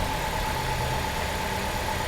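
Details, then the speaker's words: 2010 Chrysler Sebring Touring salvage car at idle, "purring like a kitten": even, smooth low hum with no knocks, misses or rattles. A normal, healthy idle. "Purring like a kitten, man."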